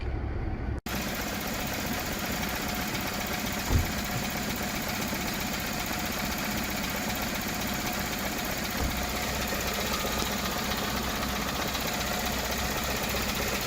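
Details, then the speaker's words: Toyota Camry 4-cylinder, cold morning restart, no DTCs: steady but low, lazy idle, no flare-up, under 1000 rpm where about 1500 is expected, no knock or miss; sticking idle air control valve. "okay let's restart it i didn't see the flare up you see like didn't even get to uh 1000 rpm that we should get like about 1500 rpm it's very low right now the rpm"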